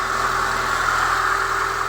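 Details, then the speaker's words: Chevrolet Niva petrol engine started cold at 16°C, after the repair of a cold knock near cylinder one that used to last until about 60°C: it now idles smoothly with no knocking. "Так, машину я завёл. Температура у нас сколько? 16грасо. холодная, то есть. Ну, в общем, всё, этот шум пропал у меня, который меня беспокоил."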